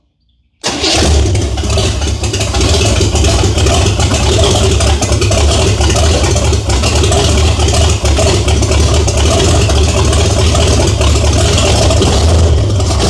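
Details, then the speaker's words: 1978 Chevy Nova, big-block Chevy with open exhaust manifolds, first start after 21 years sitting: catches and settles into loud, deep, slightly lumpy unmuffled idle; owner questions whether cam is stock; loud open-exhaust idle. "Hey, I think sounds good. So loud. Holy crap. Okay, two things. Number one, open headers. Really loud."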